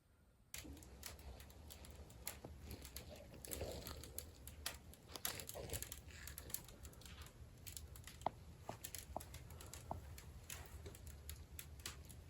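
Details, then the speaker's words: Glazed clay tiles in a bathroom and shower give scattered sharp ticks and crackles, a few a second, when grout is installed. Cause unknown; the tiles performed normally for a year afterward. The installer had not heard this in 25 years. "Has anyone else had any experience with glazed clay tiles crackling when you install the grout?"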